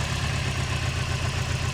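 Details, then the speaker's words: Project car engine running really rough at slightly raised idle; pulling coil four and three gives no change, coils swapped without moving the miss; lumpy uneven exhaust beat, suspected dead cylinder. "see it's running really rough and then if we pull number four that again there's no change"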